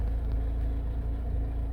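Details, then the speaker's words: Car after O2 sensor work, nearly warm after 15 minutes idling, no warning light or faults: low, even idle rumble with regular firing and no knock or miss, exhaust sounding good, though an unidentified mechanical rattle sounds from underneath. "which sounds really good sounds smooth this all sounds good I've got some kind of something rattling under there I don't know what it is but mechanical rattling but exhaust sounds good sounding sweet"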